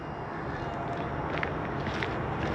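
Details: 2018 Winnebago Intent 30R auto-leveling jacks retracting, rear then front, ignition key on: steady, even pump drone with no knocks, grinding or squeal; jacks retracting normally.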